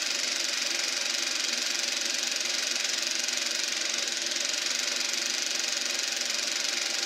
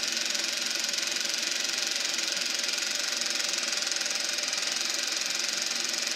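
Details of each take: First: Eberspacher B1 gas heater for VW Beetle, bench test fire on second attempt: steady even high hissing roar, flame lit and burning cleanly inside; normal combustion heater running. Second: Eberspacher B1 gasoline heater for a VW Beetle, bench test fire: only a steady airy blower hiss with no combustion roar; flame went out while the fan keeps spinning, cause unknown; battery charger suspected of issues.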